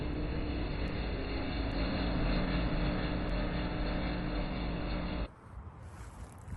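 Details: Generac backup generator run after service with oil and filter change: steady, even drone with a constant hum for about five seconds, then drops away; generator runs smoothly.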